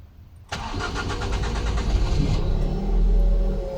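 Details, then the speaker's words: Ford Focus petrol after bypassing the faulty aftermarket alarm relay and wiring the green-yellow fuel pump positive directly: cranks briefly, catches at once and settles into a steady, even idle with no stumbling; starts and runs normally. "Все постоянно горит. И тачка работает, заработала."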